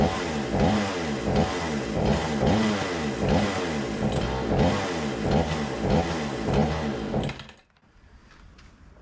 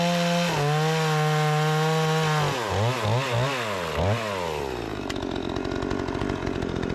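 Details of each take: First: Remington 46cc chainsaw, sat since last season, smoky, choke arm seemingly not working: revs surge and sag in uneven bursts about once or twice a second before dying, starving for fuel; carburettor to be cleaned; lean running, fuel starvation. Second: Repaired Remington 46cc two-stroke chainsaw with sharp chain cutting wood: runs high, dips and recovers with each stroke into the wood, picking back up crisply; strong and responsive, normal operation under load.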